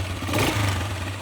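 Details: Gatoma GT150A motorcycle, warm after a 10 km ride, restarted on its year-old battery: brief burst of starter whirr, then the engine catches and blips up cleanly over a steady low hum; starts fine, battery still judged bad.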